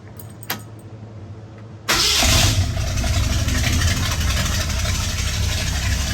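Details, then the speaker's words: 1966 Ford F100 V8, hot, after replacing the exhaust gasket and retightening to fix an exhaust leak: quick crank into a deep steady burble with no ticking or puffing, running slightly rich, timing still to be advanced; normal start and idle. "sounding good heck yeah"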